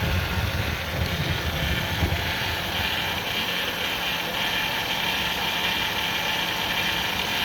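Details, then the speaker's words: 2000 Ford Windstar SEL 3.8 V6, 204,000 miles, rebuilt engine, new EGR and plugs: uneven shaky idle about 900 rpm, lumpy beat, valve cover and alternator shaking; no misfires on scope, pulling injector 6 changes it; rough idle, cause unknown. "Current idle is about 900, but you can see the valve cover, the whole thing is shaking."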